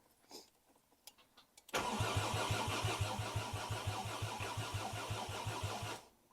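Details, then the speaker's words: Mk2 VW GTI with a swapped 5-cylinder engine, first start on a harness and ECU back from the shop, fuel pump priming, throttle pedal not connected: even cranking for about four seconds but it never catches. "okay well it won't start I didn't expect it to start right away obviously"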